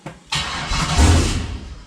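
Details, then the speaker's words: 6.0 V8 swapped into a CUCV, first start of the new engine, coolant system not yet connected, a little throttle: short crank, rough burst fading within about a second and dying; owner suspects something missed in the tune, possibly incomplete HP Tuners write. "Oh close and once to maybe a little bit of throttle oh she's close I'm starting to think I missed something in my MI tune I think I missed something"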